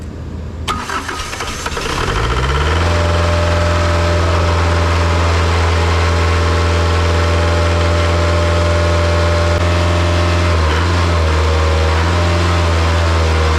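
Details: Isuzu 4-cylinder 60 hp diesel from a non-running air compressor, first start after bleeding the fuel system and jump-starting. It cranks, fires cleanly within two seconds and holds a smooth, steady high idle with no smoke; it sounds healthy.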